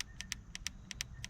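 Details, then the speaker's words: 2022-2024 Honda Civic Sport hatchback 2.0 manual, about 6 months owned: steering wheel volume-up button pressed repeatedly, quick sharp clean clicks, still crisp and snappy, unlike the more-used volume-down button. "that's volume up. You can see here how clicky it is still and snappy it is, but when I go to volume down now, it's already changed."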